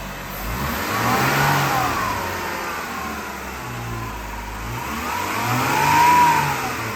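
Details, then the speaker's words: 2017 Jeep Wrangler Rubicon, 3.6L V6, five-speed automatic, 87,000 miles, on a hot day. Two smooth revs rise and fall cleanly from idle with no misses, knocks or rattles; engine healthy. "3.6 Liter V6 I'll start it up so you can hear it"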